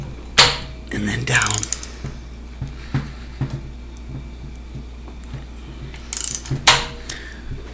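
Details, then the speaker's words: Audi A4 1.8T AEB engine, cylinder head off the car, cam turned slowly by hand during assembly: a few sharp metallic clacks seconds apart as the cam chain tensioner jumps up and slams down; timing still aligned. "when I turn this you see it jump [Music] you'll see the tensioner go up and then it'll slam [Music] down up"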